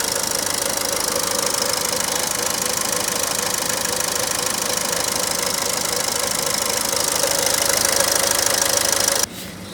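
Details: Ford Figo Aspire at idle: fast, even ticking-knock about three to four per second over a hissy background; unidentified engine knock.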